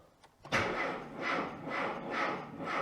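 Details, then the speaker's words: Classic Mini MPI after cylinder-head repair for a leak, cranked with fuel pump fuse removed: starter turns the engine over in even pulses about twice a second, no catching or clatter; normal cranking without fuel. "right it seems to crank over normally"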